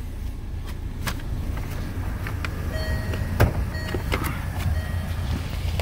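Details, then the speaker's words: 2015 Land Rover LR2 pre-purchase inspection, just started with slight exhaust flap noise at start: quiet steady low idle, no knocks, ticks or misses, a few light clicks; engine fine. "Sounds fine. Is it running? No issues."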